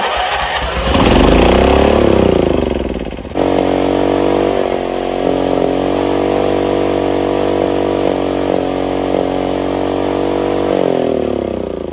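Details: Craftsman RER1000 riding mower started on choke after sitting a while: cranks, catches, then holds a fast steady drone well above normal idle; high idle because the idle screw needed adjusting.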